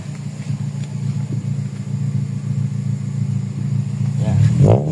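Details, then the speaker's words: Toyota Corolla GLi 4A-FE after full PMS, muffler on original bracket: steady low exhaust drone rising smoothly when revved, no rattles or leaks; noise only at the tailpipe end, exhaust sound. "Okay, dulong-dulo lang yung ingay."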